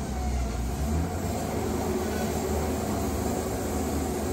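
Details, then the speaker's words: Wood-Mizer Super 70 sawmill engine under load sawing a log after a new drive pulley; motor bogs in the cut yet the belt doesn't slip, then revs back up to rpm on exit; steady deep drone, no squeal or surging; normal running under load. "hear how it revved up it catches up to the rpm that's what you want here"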